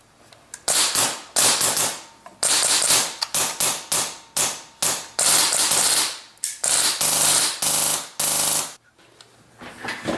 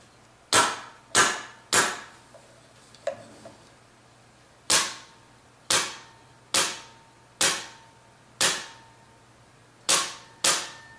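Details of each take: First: Polarstar airsoft gun firing normally as a comparison against a jammed one with folded bucking lips: crisp sharp cracks in quick, even bursts with clean stops between them. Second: Polarstar airsoft gun with folded bucking lips and a BB stuck: sharp single cracks about a second apart with a muffled odd shot, jam sound; fix is a new bucking.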